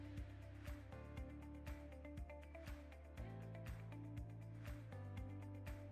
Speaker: Arka planda duyduğunuz sesi Power Manager'ın varsayılan alarm sesidir.